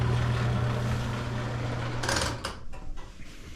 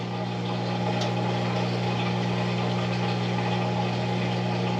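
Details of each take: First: Bosch Nexxt washer WFMC4300UC/01 showing error E04, not draining with no hose kink: rough gravelly grinding churning steadily then dropping to a quieter rattle, sounds like gravel inside; failing drain pump, assembly 00436440, replaced. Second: Bosch Nexxt washer WFMC4300UC/01 after replacing the drain pump for error E04, on drain cycle: steady, even low hum with water rushing through and no grinding or rattling; replacement pump drains properly with no leaks.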